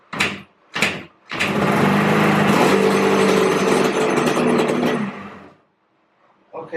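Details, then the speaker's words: Yamaha Banshee 350cc two-stroke twin, after coil swap for weak spark, on choke: two failed kicks, then catches and runs raggedly about four seconds before dying; hard starting, owner suspects unsealed exhaust pipes leaking compression. "turned on I think maybe that's why it's not turning on because uh the exhaust pipe aren't sealed all the way so maybe it's leaking compression through there and that's probably one of my major issues"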